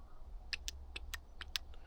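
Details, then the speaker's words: Intake VANOS camshaft solenoid from a BMW E70 X5M, removed from the head and bench-tested with a power probe: sharp, light rapid clicks, working fine; 11.1 ohms, spot on. "you can hear it. That seems to be working fine."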